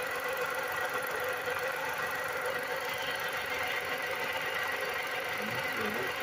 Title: WHAT'S THIS SOUND my cars making??